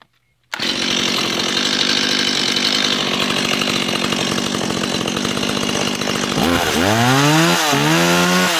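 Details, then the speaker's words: New Stihl MS170, the smallest Stihl chainsaw, no primer bulb. It settles into a steady high buzz, then revs cleanly up and down with no misfire: normal running. "it fired right up and cranks up one or two pools I mean it's a steel what you expect"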